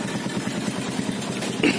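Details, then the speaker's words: 2012 Yamaha Byson carbureted single at idle: rough idle with fast metallic clatter over the engine beat, loudest on the left side; cam chain rattle, to be fixed by replacing the cam chain. "ini adalah alasan saya bukan apa ganti rantai kamrat soalnya mesinnya bunyi kayak gini kek coba dengarkan ya rantai kamrat"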